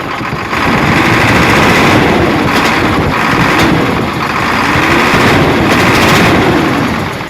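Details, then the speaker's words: Hino Euro truck diesel misfiring with some smoke; loud revving with sharp firecracker-like pops whenever throttle is given; misfiring. "और दूसरा यह कर रही है कि जैसे ही थोड़ा सा एक्सीलेटर देते हैं ना तो पटाखे मार दिया है और जैसे द फायरिंग की आवाज नहीं आती पटाखे की आवाज आती है तो वैसे यह पटाखे मार रही है"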